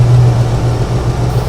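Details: 1975 Ford Ranchero GT with open manifold vacuum port plugged: steady deep even rumble, no hiss or stumble, settling into smooth idle; about 18-19 manifold vacuum; vacuum leak fixed.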